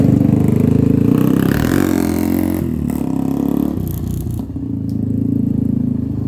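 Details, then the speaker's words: 1997 Honda TRX300EX single-cylinder after cam chain replacement, not run in a while and still cold: thump rising and falling with throttle, a bit uneven, no rattle or chain slap; running fine otherwise. "okay guys hey it's actually running really good um it hasn't ran in a while so it's a little grumpy and it's also still cold I haven't really warmed it up a whole lot but uh um running really good otherwise"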